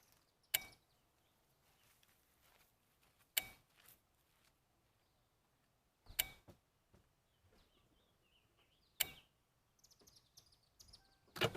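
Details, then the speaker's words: Car with GM side-post battery jump-started using an AVAPOW A68 6000A jump starter: four faint clicks, then the engine catches quickly and settles into a steady even idle: normal start and idle. "that was pretty easy we're just going to disconnect our charger"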